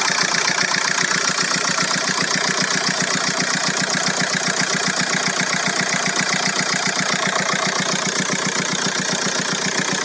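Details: VW Golf 4 1.9 TDI 115 4Motion diesel at idle: steady idle with sharp, regular tick about two and a half per second over the clatter; strange engine noise, cause unclear.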